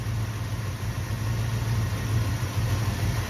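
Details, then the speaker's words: 1964 Dodge Dart GT convertible V8 idling with uneven, loping rumble that never settles, smooth off idle; carb cleaned, new accelerator pump, idle and timing set; owner suspects intake gasket vacuum leak, unconfirmed. "You can just tell it doesn't idle happy, never did, but sounds great everywhere off idle."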